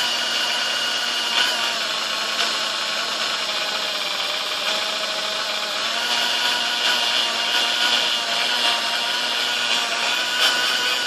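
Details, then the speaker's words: Sunbeam Mixmaster Model 1-7A 235-watt mixer, before service: high motor whine wavers and surges instead of holding steady on the lower half of the speed dial; uneven speed from a faulty speed-control resistor, later replaced along with cleaning, oil and grease. "all right now you can definitely hear some issues there at the lower half of the speed dial"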